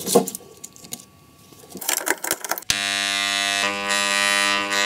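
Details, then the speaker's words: Angle grinder run directly from the mains after its good armature was refitted and the brushes secured: after some clicks, a steady, even buzzing hum with no wavering or rough spots, normal healthy armature. "We fix the brushes and listen to how the angle grinder should work from the network. It's a completely different matter."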